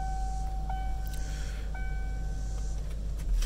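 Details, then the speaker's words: 1992-97 OBS Ford truck, engine idling: two crisp clicks about a second apart as the electric 4WD button is switched on and back off, with steady chime tones; 4WD solenoid clicking normally. "and you want to make sure it turns back off you can hear the solenoid click"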